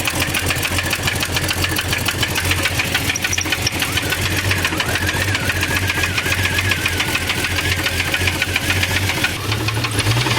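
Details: 1989 Jeep Cherokee XJ Renix stroked 4.6L I6, AW4, idling with valve cover off after running hot: sharp regular ticking knock about 3-4 per second over steady idle; cylinder not yet pinned down, number 6 suspected.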